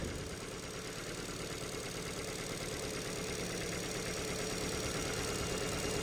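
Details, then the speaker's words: Ford Fiesta salvage car with suspected flood damage, idling: quiet, even idle with steady low hum, no misses, despite stored misfire codes on cylinders 1 and 2; owner unsure if plugs or leads. Normal idle. "um so yeah but it's actually ticking over and running quite nice so I don't know if it's something to do"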